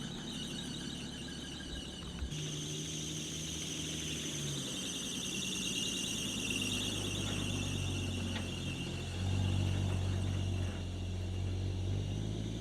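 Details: 1980 Chevy C10 short-bed stepside square body, left for dead and just revived, on its first drive: a high, steady squeal rides over the low engine run without letting up. Slipping accessory drive belt squeal.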